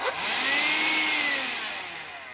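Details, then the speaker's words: Shark SV780 cordless vacuum motor and handle assembly: a high motor whine spins up, holds for a few seconds, then sags and winds down; owner suspects the battery pack is failing. "that's about it it starts up goes for a few seconds so I think it needs new batteries"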